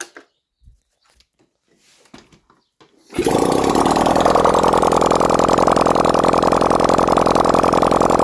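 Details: Restored 1971 Honda CD175 K3, with oil confirmed reaching the head. After handling noises it fires and holds a steady, even idle of about three to four beats a second; healthy normal idle.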